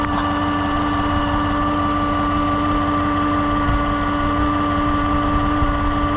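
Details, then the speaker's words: 2015 Chevrolet Suburban, dead battery, not charging: steady idle with a thin constant one-pitch whine from the alternator, which is failing; alternator then replaced. "This video is a sound test of the alternator. You can hear it, it sounds kind of like it's whining. That's the alternator right in there."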